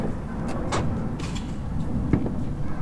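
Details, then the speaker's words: Mazda MX-5 Miata NA door after fix (fender bolt loosened, wing pulled out and retightened): latch click and light clunks as it opens, no longer scraping against the bent front wing. "and just like that I have actually fixed it because um if I put the camera here open the door it doesn't hit anymore"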